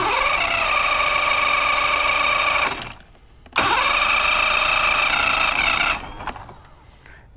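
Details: Mercury Classic 50hp outboard after stator, trigger and new power pack install, plugs in: two rising-tone cranking bursts that never catch. Cranks but won't start; owner suspects a carb job and tries spraying something in.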